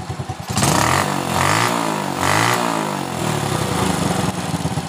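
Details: Honda Supra Fit single-cylinder motorcycle after spark plug work, previously stalling on throttle: starts and revs up and down cleanly several times, settling without stalling; now takes throttle, sounds healthy.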